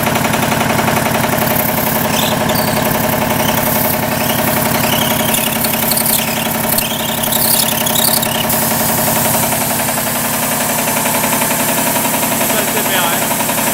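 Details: 40-year-old 25hp American Kellogg 462 air compressor before overhaul: loud steady knocking about 220 times a minute with the compressor's rhythm; rod knock on 3 of 4 connecting rod bearings.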